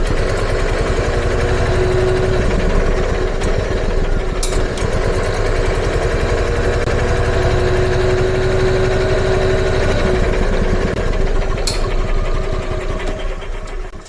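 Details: EZGO gas golf cart that never ran well, stored long, with gas pedal pressed: small single-cylinder engine pops unevenly around four a second, struggling for fuel; same after fitting a new carburetor, cause unconfirmed, spark plug next.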